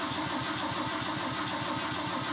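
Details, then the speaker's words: 1969 Volvo 164 rebuilt engine cranking before first start, oil light still on: even starter churn about seven or eight pulses a second, no firing yet; turns over freely and steadily. "you wanna see if she'll crank oh she sounds good"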